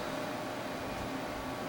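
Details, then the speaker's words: Tape drive ejecting a tape holding 2015 archives, ready light flashing: steady even-pitched whir and some racket as it unspools tape off the take-up reel back toward the cartridge; normal rewind before eject. "so i'll go ahead and eject it and you see the ready to light begin to flash it makes some racket as it unspools the tape off the take-up reel"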